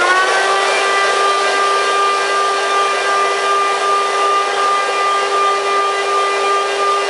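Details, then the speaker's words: Eureka upright vacuum (no suction, belt burning smell, drag on roller) run with belt removed: smooth steady high hum with no wobble or grinding; motor spins freely and blows air, so it's healthy. "the motor is blowing nice air from the back end which is right here the light is working"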